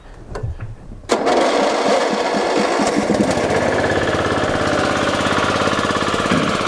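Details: Riding mower from scrap pickup, forward/reverse drive: engine catches immediately and settles into a steady, even run with no knocking or misses; normal start and run.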